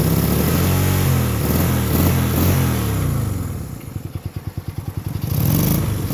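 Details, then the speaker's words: 1965 Honda CB160 showing 1070 miles, revived after decades of sitting: carbs cleaned, new points and condenser, fouled plug found on the right cylinder, brief choke. Twin pops and stumbles at idle, hunting near stalling: unsteady idle. "so she doesn't run perfect but she runs you can hear kind of popping and farting a little bit"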